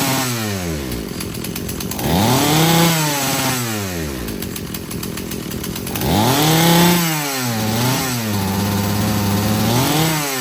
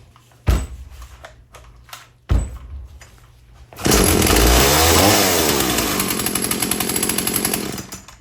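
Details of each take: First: Husqvarna chainsaw being rebuilt after not running, disconnected fuel hose just reattached: revs sag and wobble as throttle opens off idle before climbing, fine at wide open on the high-speed jet; stumble on acceleration from rich low-speed mixture. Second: Husqvarna chainsaw after rebuild, with new air filter and new primer bulb fitted before carb tuning: after handling noise it fires into a steady high-pitched buzz that holds without stumbling; normal running.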